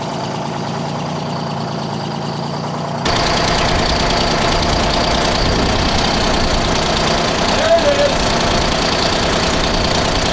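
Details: 1975 Freightliner FLT Detroit Diesel V12 after fuel system work and a new injector: steady idle with even, rapid clatter after a cylinder comes back in, likely from air clearing; oil pressure 20-25; normal idle.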